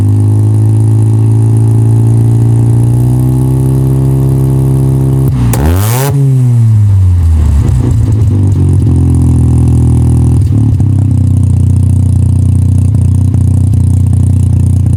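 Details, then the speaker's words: 1985 Mazda RX7 GSL rotary, new Racing Beat exhaust just installed, mic near the exhaust: idle and blips with a raspy puffing edge from a hole between pre-silencer and connecting pipe; exhaust leak. "The point between the pre- silencer and the connecting pipe, there's a hole. There's an exhaust leak. You can hear it. Yeah. So, it's not going to sound as good as it should."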